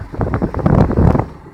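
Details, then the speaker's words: 2001 Ford Mustang misfiring badly at low rpm as if on three cylinders, uneven exhaust chug with skipped beats and shaking; a backfire is heard, shaking badly at half throttle in fourth gear, improving above about 3000 rpm. "oh it's pretty clear it's misfiring pretty badly it's pretty pretty bad it's misfired like it has like three cylinders only um on low rpms"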